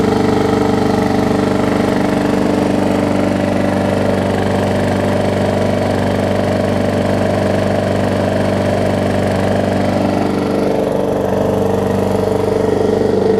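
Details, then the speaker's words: Brand-new Murray big wheel mower with burned oil inside: steady idle with a faint regular tap about 160 a minute; no smoke and no oil in blow-by tube; owner thinks it may just run loud. Light knock at idle. "It may just be some of these engines run a little bit louder than others. So almost sounds like it's knocking a little bit."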